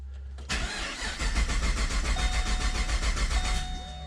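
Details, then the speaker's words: Modified supercharged LSA Pontiac G8 GT after sitting a while: starter cranks, engine fires and stumbles without catching, fails first try; usually starts on second attempt, cause unclear. "see didn't start first try but usually the second time it does start that's the thing about having a car with uh some mods done"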